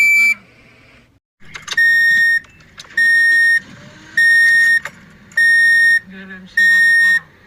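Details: Toyota Corolla at engine start: five loud, evenly spaced high beeps about every 1.2 seconds; warning chime of unknown cause.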